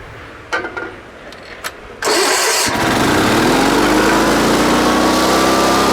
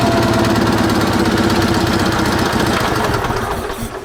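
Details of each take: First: Sears Suburban SS16 garden tractor, 16 hp Onan twin, sat for years; after cleaning and refitting parts it clicks, catches in about two seconds and settles into a steady drone, but runs at the wrong speed. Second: Sears Suburban SS16, 16 hp Onan twin, after moving a fuel line hose clamp that the linkage hit: quick, even chugging beat at steady throttle, winding down at the end, no smoke, throttle works; normal running.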